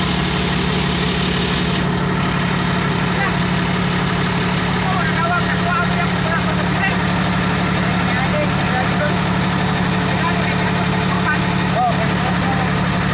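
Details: Komatsu D155A bulldozer diesel: deep, steady idle with an even, smooth beat and no knocks, misses or rattles; engine healthy.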